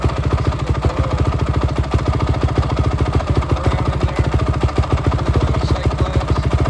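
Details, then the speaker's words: 2005 Honda CRF450 single-cylinder, started after sitting over six months, still on break-in oil: crisp even thump at a fast warm-up idle with a little throttle blipped; runs clean and steady. "it's really a good running warm up just a little bit give a little throttle"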